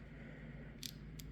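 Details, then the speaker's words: Warn XL3000 winch from a 2011 Can-Am 400 XT, disassembled: gear set turned by hand gives sharp clicks about a third of a second apart over quiet background; worn bearings on the presumed primary drive planetary gear set. "if I don't know if you can hear that but there's clicking there we go that one's pretty bad so the bearings on the and I I assume this is the primary drive gear set the bearings on this one are messed up"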